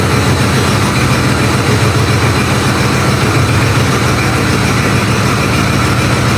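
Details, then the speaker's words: Ford Bronco II engine first fired on starter fluid after the exhaust was welded up, idling rough with loud raw chuffing puffs. The O2 sensor is not installed, so gas blows from the open port: a massive exhaust leak, plus a fuel leak. "Also just realized what the massive exhaust leak was. The O2 sensor's not in, so it's running terribly and has a massive exhaust leak and that fuel leak."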